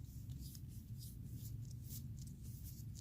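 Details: New ACT clutch throwout bearing for a 2015+ WRX FA20DIT, spun by hand beside the noisy old one: only soft glove-rubbing swishes over room hum, no grinding or rumble.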